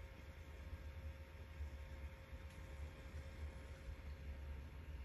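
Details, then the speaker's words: Hikvision system's cooling fan, cover removed: very soft, steady whir with faint low hum, no rattle or buzz, quieter than the hum with cover on. Normal quiet fan. "now i could even tolerate this i probably could tolerate this as a sound but it is quieter when i remove okay so then it comes down to a whisper with the cover"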